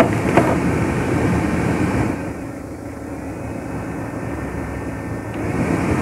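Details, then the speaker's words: Renault Megane 2 cabin heater blower after replacing the mouse-infested fan and the resistor: smooth steady airflow stepping down to a lower speed, no rattle or squeal; all speeds work quietly. "treptele nu mai face zgomot Mașina este complet funcțională partea de aerotermă"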